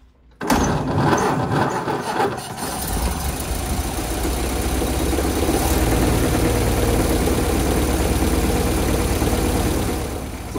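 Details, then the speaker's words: 1928 Ford Model A that had sat for years, first start after a fuel system rebuild, now fed from its own tank; catches quickly and settles into a steady, even low idle with no stumbling and no leaks; healthy. "looking good. No leaks out here or inside."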